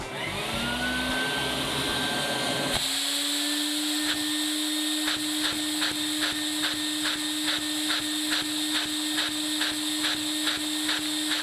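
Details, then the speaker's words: LEGO vacuum engine fitted with LEGO needle roller bearing using three stud-long bars as rollers; steady high hum with light tick about twice a second, runs no better than the plain version, suspected from play in the bearing. "This one was definitely surprising. I figured it would run better than the normal one, but that's apparently not the case."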